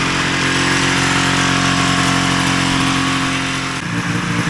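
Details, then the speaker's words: 1980 Ski-Doo Citation SS two-stroke twin after points, coils and carbs repaired, before tuning: sharp, even buzz firing on both cylinders with steady beat; engine runs cleanly. "Yeah, so that runs. Now a matter of getting it tuned up properly and everything like that, but that's quite satisfying."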